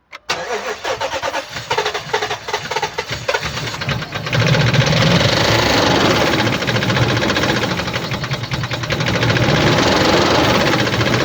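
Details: 2007 Dodge Ram 1500 4.7L (4701 cc, engine code EVC) petrol at 290,000 km cranks, catches, and idles with a lumpy, uneven stumble because cylinder 1 has no compression.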